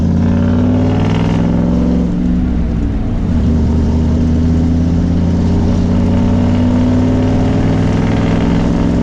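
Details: 1994 Ford F150 4x4 with new Saginaw power steering pump: steady engine hum with no squeak or chirp; metallic noise not from the pump but cured by swapping the old, possibly chemically hardened belt; accessory drive now quiet.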